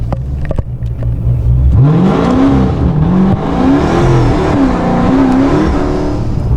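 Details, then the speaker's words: Dodge Charger Scat Pack 426 with ProCharger supercharger, after owner fixed boost leak that had limited it to about two pounds of boost: deep V8 roar climbing and dipping through hard full-throttle pulls without stumbling, now running full boost and full power. "god I am happy this thing is working full boost and I fixed it myself"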